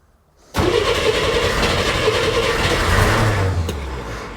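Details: Flooded Corvair on new custom fuel injection, first fire-up: engine fires, then runs rough and stumbling, unable to settle; over-rich from too much startup fuel, fixed by reducing startup fuel and warm-up taper.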